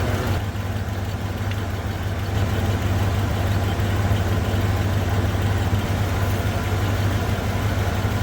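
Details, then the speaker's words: 1987 Ford F150 302 V8, automatic C6, 4x4, after fuel system work: steady even low rumble at idle, not shaking, no knocks, misses or hunting; normal idle. "It's actually running really quite smooth right now. It's not shaking. It's kind of running nice."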